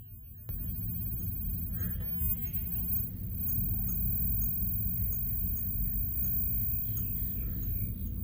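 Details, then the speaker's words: 1970 Packard Bell 98C22 hybrid colour TV chassis on test jig: faint sharp ticks two or three times a second over a steady hum, clicking from the horizontal output tube red-plating (overloaded). "crap am I red plating the tube well that was not something I wanted to do that's why you could hear it clicking away"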